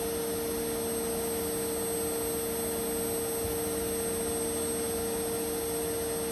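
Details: Indesit Innex XWSC61252 washing machine, brought in for not draining, high-speed spin after repair: steady high motor whine with strong even tone, smooth and constant; speed dipped when the high-speed coil engaged, cause unknown; running normally.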